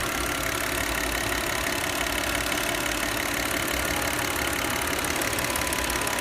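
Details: Old Audi C6 2.4 V6 at idle after the intake-manifold vacuum hose is disconnected: even, steady idle with smooth hum and airy hiss, the rhythmic knocking from the known intake manifold fault gone; normal idle.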